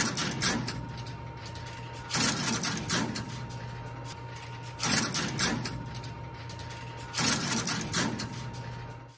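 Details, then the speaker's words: Crossbar switch marker working a route-advance call with all 832 trunks made busy by busy plugs, so it picks an alternate trunk route. Relay clatter bursts about every 2.5 seconds over a faint hum, sounding different from a normal call; normal operation. "the marker sounds different on a normal call and an alltrunk's busy route advanced call can you hear the difference"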